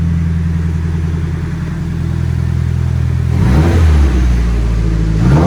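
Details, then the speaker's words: Nissan S14 Kouki with SR20 turbo, 333k km, factory turbo, downpipe, cat and muffler, clutch due for replacement: smooth deep idle then free clean rev rises with no misses, rattles or belt squeal; normal revving. "muffler sounds great I mean it's a for SR20 that sounds really good with the downpipe"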